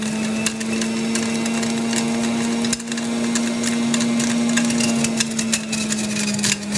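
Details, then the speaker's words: Juicer running with steady motor hum and irregular cracking and crunching bursts as cherries with pits still in them are ground up inside. "And if you guys can hear, my cherries still have pits in them, so you can hear them grinding up in the machine."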